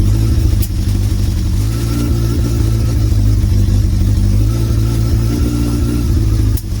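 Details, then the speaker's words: Motorcycle (Suzuki Bandit project) running after first start following storage, air filter removed: steady, even low engine note at a fast idle with no knocks or misses; starts and runs normally. "It's sounding okay, guys. Getting there."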